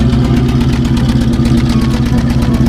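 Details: 1966 Ford Bronco 351 Windsor V8, at the exhaust pipe during a paper test on the good bank: deep, even burble with steady pulses blowing the paper out, no misses or suction; the other bank is suspected of a valve problem; normal idle.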